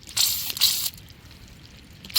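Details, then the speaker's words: Leak check on an off-grid water line connection: short splashy hissing bursts come and go over a quiet background as water trickles from the pipe joint, which is leaking. "Got to make sure there's no leaks cuz I think it's it's leaking right here. So, I had to redo that connection. Had a feeling these were going to leak."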